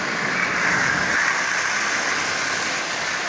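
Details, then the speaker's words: Lionel 8040 locomotive, nearly new with little runtime, motor just lubed and reassembled with added headlight, first test run forward at 50% power: steady even hiss-and-hum, no knocks or catches; running quite well. "you see, that's actually running quite well."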